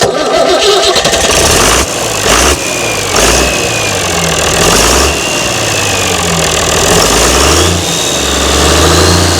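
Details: Mystery old six-cylinder Perkins turbo diesel from a farm, no history, first start attempt: starter grinds a few seconds, then it catches and settles into a loud, steady clatter; clean normal start.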